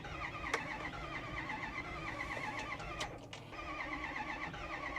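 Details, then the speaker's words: 2010 Ford F350 6.4 Power Stroke, 98,000 miles, ran when parked, earlier white smoke and no coolant, battery charged, fuel pressure fine: starter cranks steadily but it never fires. Crank, no start; owner suspects three cracked or melted pistons. "So unfortunately, I can't get the F350 to start. I'm guessing what's going on is the engine has either cracked or melted pistons."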